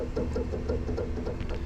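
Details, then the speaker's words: Noritz N-0751M-DV tankless water heater showing error 66 with no water being drawn: low steady buzz with faint pulsing about six times a second; the failing bypass valve (water servo) straining to open or close. "that's the valve trying to close or open probably open so that it will you know you're not forcing things through"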